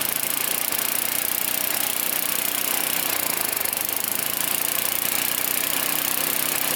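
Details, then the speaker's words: 9 hp Tecumseh snowblower with adjustable HIPA carburetor, just started on prime and full choke: harsh, fast, uneven popping run with lots of hiss; revving too high before carb adjustment. "In this case, it was running a little too high, so you don't want to let it run at 4,000 or 5,000 RPMs."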